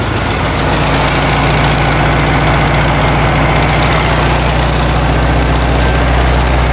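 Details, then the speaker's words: 1972 VW Karmann Ghia, air-cooled carbureted engine, first run after sitting for many years, choke just adjusted: a loud, slightly uneven low chug at idle that hunts; it sounds good but a little jumpy, and the valves have not been done yet. "half sounds good it's a little jumpy we haven't done any valves or anything"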